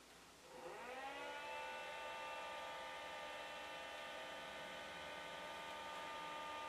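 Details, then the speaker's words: Creality Space Pi filament dry box running a 6-hour PLA cycle set to 50°C, currently 25°C and rising, humidity 40%: the fans spool up into a steady, even whirring hum with no rattle. Running normally. "you can see the timer is ticking down and you can clearly hear the fans running"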